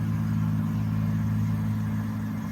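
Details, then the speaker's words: 2017 Ford F-250 6.7L diesel after fuel filter change, key on, priming about 30 seconds repeated several times: low steady electric drone fading slightly; normal lift pump priming. "that's primer you can hear her priming you let her prime for about 30 seconds"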